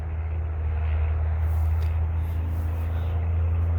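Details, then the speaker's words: MCI MC8 diesel bus, sat about two years, first day above freezing, cranked from front controls, batteries suspected weak; smoking so fuel present: heavy steady starter churn about four beats a second, never catches or speeds up; long crank, no start. "it's trying to start it wants to i can see it smoking we definitely got fuel it hit a lick just a little bit when we put some ether to it"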